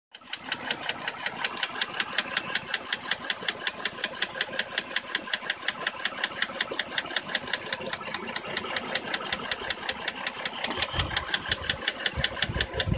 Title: Dodge Journey V6 misfire